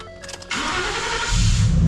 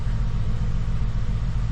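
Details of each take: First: 2014 Ford F-150 after refitting OEM Motorcraft coils and reseating two loose coil connectors (one on cylinder 6): short crank, catches without throttle, settles to steady idle; normal start, slight misfire still suspected. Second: 2014 Ford F-150 with an ongoing misfire that the dealership claimed to have fixed, heard after the coil connectors were reseated. It needed throttle to crank, then gives a low idle rumble with an uneven beat and periodic dropped pulses, so the misfire persists.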